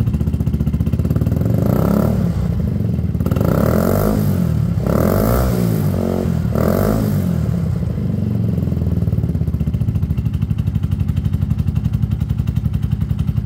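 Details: Peugeot Tweet 125cc scooter with new top end fitted: owner says earlier it took ages to start after sitting; automatic choke connected. Revs a few times then settles to a steady even idle with no cutting out; runs healthy.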